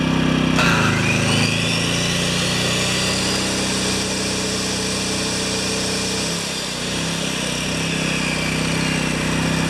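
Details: Yamaha 1000 W generator at maximum load after reaming carburettor jets to cure idle surging: holds one steady, even drone with no rising and falling of speed; running smoothly.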